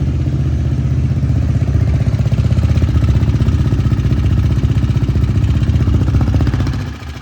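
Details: KTM Duke 390 single-cylinder at idle, noise began after front-end lifting: light regular ticking over the idle at a steady rhythm; suspected slack timing chain from worn tensioner.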